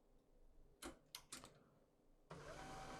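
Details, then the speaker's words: HP LaserJet P1102w laser printer after repair of loud cracking noise (opened, plastic part issue addressed); quiet start, a few clicks, then smooth steady motor hum with paper feeding, no cracking or snapping: normal printing. "vamos a sacar una impresión ya no truena ya no se escucha el ruido ahora ya no se escucha el ruido que teníamos aquí"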